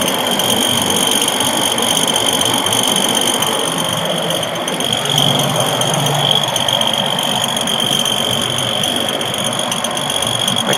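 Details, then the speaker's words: Ford F-150 running with a fast, irregular rattle over a steady high whine; the source is unidentified, and the owner suspects the transmission. "that noise is coming from. Sounds like it's coming out of the tranny."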